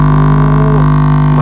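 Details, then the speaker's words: 500 W speaker connected straight to mains power without amplifier: loud, steady low buzz as the cone vibrates evenly at 50 Hz mains frequency; speaker healthy and safe to run. "Nah, inilah bergetar 50 haset. Oh 50 Hz. 50 HZ itu getaran listrik PLN kan 50 Hz."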